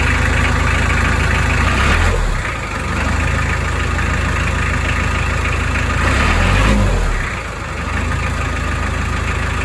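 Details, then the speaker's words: Narrowboat diesel brought in with a noisy drive plate, before the plate is changed. Idles with a loose, uneven chatter underneath that shifts as revs dip twice; noisy drive plate. "Right, so while Jane is cracking on with Paws and Claws, Alfie has come in with a noisy drive plate."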